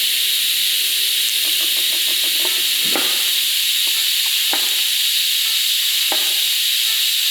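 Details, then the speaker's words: ARCCAPTAIN 200P AC/DC TIG welding a cheap offshore flange at about 100 amps with filler rod, no heat sink: arc strikes fast and clean, steady even hiss without popping or sputter, few faint clicks; normal TIG arc. "So I tried a couple passes before it was all right. The arc strikes very fast and it is very clean."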